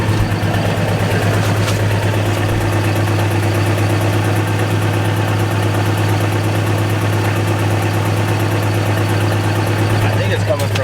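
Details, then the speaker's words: Infiniti G35 on first start after a new test pipe install: a loud steady idle with raspy puffing over the exhaust beat, an exhaust leak on one side, suspected at the flex joint but not confirmed. "that exhaust leak is still there it's yeah much louder"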